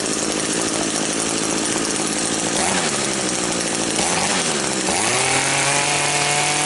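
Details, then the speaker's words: Small two-stroke engine that would not rev and had no power, after clearing a completely blocked exhaust screen, started without choke: catches and settles into a clean, steady buzz holding pitch without stumbling; running healthy. "It should idle okay right now. Switch on. Sounds a whole lot better already."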